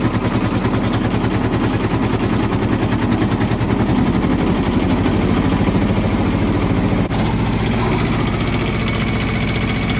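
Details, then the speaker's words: Kubota T1600 diesel mower running with the deck engaged: rough gritty grind over the steady engine thrum. The deck bearings are shot, and the owner suspects the gearbox. "that's pretty bad sounding so i'm starting to think it's a gear box you can hear obviously the bearings in there is a shot"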